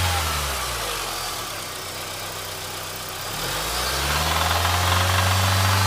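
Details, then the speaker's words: Engine knock that started right after an oil change; owner unsure whether it is rod knock or valve lifters. A steady knock about four a second over idle quickens as revs rise; cause suspected, not confirmed. "It's probably an engine knock or a rod knock, but I just want to get you guys' opinion."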